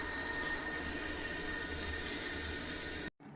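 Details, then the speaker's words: Toilet after fill valve and supply hose replacement, water supply opened slowly: steady, even hiss of the tank refilling, then it cuts off cleanly; the new fill valve fills and shuts off normally. "right, so we got our fill valve working."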